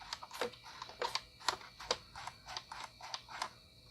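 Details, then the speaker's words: IBM PS/2 L40 SX laptop (1991) at first power-on, leaking capacitors, blank display: irregular sharp floppy seek ticks and buzzing chatter about twice a second after hard drive spin-up; no visible boot. "oh the floppy drive just seeped it sounds like it's booting"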